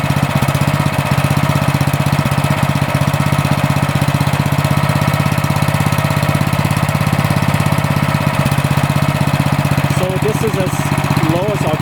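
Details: Cub Cadet snowblower that previously ran only on choke, after fitting a new MTD carburetor 651p05995; even, steady thumping at low idle with no hunting or stumbling, idling cleanly at lowest throttle. Normal idle.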